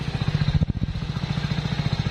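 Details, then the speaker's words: Hero Splendor+ BS6, the other bike (unmodified), on a morning cold start without throttle: even, steady single-cylinder silencer thump at idle with no misses. The slight smoke is normal in the morning, not an engine problem. "हालांकि थोड़ी थोड़ी दू आ रहा है तो यह समझना कि इसके अंजन में प्रॉब्लम है यह होता ही है सुबह बले का टाइम है यह कोई नॉर्मल चीज है इसमें कोई दिक्कत वाली बात नहीं है"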